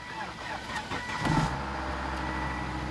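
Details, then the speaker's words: 2006 Volvo XC90 parts car with blown transmission, jump-started because its battery is dead: starter turns briefly, engine catches at once and settles into an even, steady idle with no knocks or misses; normal engine start. "starts right up so the engine still works just fine the battery is obviously junk"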